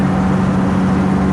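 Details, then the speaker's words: Cub Cadet Lo-Boy 154 tractor, after fixing a skip (one spark plug was at fault), running in the field: smooth, even engine drone with steady low pitch, no skip or stumble; firing on every cylinder, runs best since owned. "Hello everybody, as you can hear, it's running pretty good. Here in my back field."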